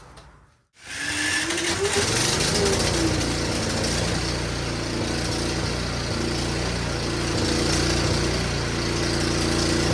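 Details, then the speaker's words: Snowblower returned by a buyer, whose starter seems to be going bad and responded to hammer taps, after adding more fuel: starts quickly, then runs rough with speed wavering up and down. Owner wonders if playing with the switch is involved; cause unclear. Engine surging. "happens that's so weird it's very inconsistent it seemed to like when I played with my switch here I wonder if that has something to do with it"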